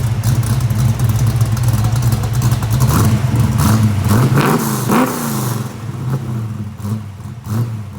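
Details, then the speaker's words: Healthy lumpy idle from the Grey Ghost 347 stroker V8 (9.5:1 compression, 205cc 11R heads, Ford Motorsport intake, 750 ATM carb, Anderson N91 cam): choppy popping-popcorn lope, sharp revs settling back; an exhaust leak at the collectors is noted. "I see what you think I love it that sound good on it popping popcorn look at that Anderson cam there you right there"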